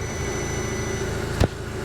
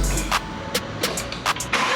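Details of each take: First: 2012 MK6 VW Golf R after engine install, once a missing "engine components" fuse was replaced: a smooth, even idle with a steady low hum and no ticking or misfire. The engine now runs smooth. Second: 2012 MK6 VW Golf R, first start after engine install into the salvage car: starter clicks, then it catches and runs very rough and lumpy. Suspected causes include a leaking turbo system pipe at the front and a fuel pressure regulator circuit fault.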